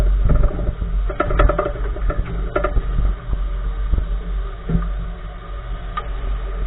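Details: 2014 Nissan March right front wheel clunking while driving: irregular dull knocks and clunks over low road rumble from the front corner, something loose, part not identified.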